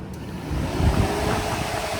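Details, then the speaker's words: J35 sandrail, electric cooling fans triggered by jumping the fan switch plug to simulate the switch. Even whooshing roar swells up quickly and holds steady; normal fan operation. "Fans are working. We'll simulate the fan switch cooling off. Car heating up again. Simulate that."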